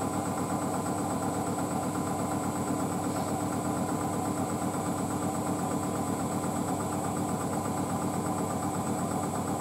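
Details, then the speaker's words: Hotpoint WD640G Aquarius+ Super Silent washer dryer with an inverter motor and 1400rpm spin, standing on a possibly slanted concrete floor: the high-speed spin hums steadily with no thumping, banging or rumble. Well balanced, normal. "that's awesome very stable though I'm telling you that was on balance but machines are quite stable"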